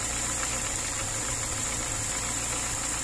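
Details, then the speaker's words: VAZ 2103 after adjusting valves (a valve adjusting bolt had come loose, valves were tight), single-barrel carburettor: smooth, even, quiet idle with no tapping or misfire; engine slightly damaged but runs fine. "моторчик чуть повредился конечно этими зажатыми клапанами но не троит"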